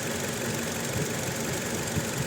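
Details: Toyota Innova petrol misfiring with no check engine light and no DTCs: idle stumbles with irregular dull puffs as one cylinder drops out. Ignition coil waveform test shows cylinder two jumping to 0 kV with spikes, a faulty coil on cylinder two.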